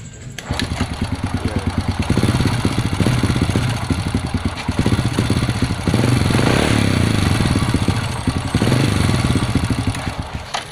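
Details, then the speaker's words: Supra moped-type motorcycle that wouldn't start, after a part was replaced: the engine catches but runs roughly, firing unevenly and surging, then stalls; valve adjustment is planned next. "Oh ya udah mau Idup tapi masih berobat Ya tuh masih matikan tiga saja masih mati kalau nggak kuat"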